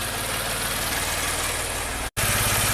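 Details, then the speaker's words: 2016 Maserati Ghibli Q4 twin-turbo V6, 60k miles, timing codes, idling: rough lopsided idle with heavy uneven throb; bank 1 completely dead, not breathing, misfire. "Bank 1 is completely dead in the water."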